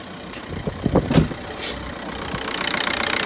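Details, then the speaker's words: 1.9 diesel at about 67,000 on the clock, first start: cranks, catches first time and settles into an even, quick diesel idle rattle with no odd knock; healthy idle though dash warning lights are on. "Started first time, guys. Absolutely first time. And that sounds amazing."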